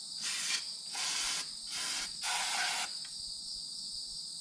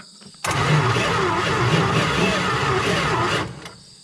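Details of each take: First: 1971 Plymouth Valiant Scamp, first start after 16 years parked: quiet, then engine catches and holds steady, even run with no knocks or misses, no big leaks or heavy smoke; sounds really good. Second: 1971 Plymouth Valiant Scamp, first start attempt after 16 years parked, exciter wire jumped at starter solenoid: about three seconds of sluggish, laboured cranking with heavy low churn and no firing; cranks slowly.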